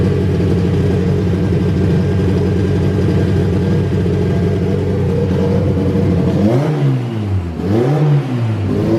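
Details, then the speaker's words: Honda Civic Si EK coupe, bone-stock B18C1 GSR with Precision turbo, new BKR7 plugs, high-impedance injectors checked: choppy ragged idle then two quick revs climbing and falling, smells rich, "sounds cam"; rough rich running. "so that's a problem we'll have to figure out why it's uh running funky"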